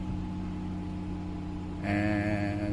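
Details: Dodge Caravan running again after a no-power, no-start fault traced to a dirty connection: steady, low, smooth idle hum with no misses or knocks; normal idle.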